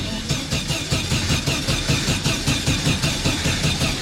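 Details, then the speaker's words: 1974 VW Super Beetle, first start after rebuild: starter cranks engine in steady even rhythm but it never fires; cause was a loose negative wire on the ignition coil, reconnected. "I actually expected it to start and it didn't. What's going on here? That's new. Alright, I guess we need to investigate. And we discovered the negative wire on the coil was loose."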